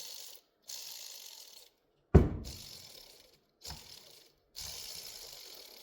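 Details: Volvo 240 driveshaft center support bearing, removed with its cracked rubber cage, turned by hand: dry gritty ratcheting crunches in short bursts; worn bearing, a common cause of vibration and noise while driving or braking hard, being replaced.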